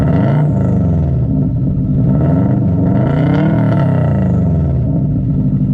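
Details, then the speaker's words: 2002 Subaru WRX with straight-pipe open exhaust, after compression test and injector reconnected: loud rumbling idle with slightly uneven beat and occasional stumbles; intermittent misfire, running rich, plug connector still to fit. "it probably will still slightly misfire here and there but oh well"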